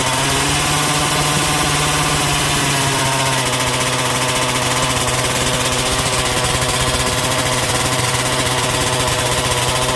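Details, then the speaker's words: MCD XR5 71cc Taylor RC two-stroke after repairs (kill switch, engine mount, gas tank, front brake linkage): loud steady buzzing held evenly ten seconds, no misses or knocks, until it ran out of gas; good performance. "yeah she's out of gas guys but i am happy happy with the performance"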